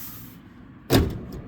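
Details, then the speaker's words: Cadillac DeVille (Gigapony build) electronic trunk closing motor tested during electronics check: one sharp, crisp click over near silence; trunk solenoid/motor actuating normally. "motor oh yeah that works I heard it click that's good good good good very nice"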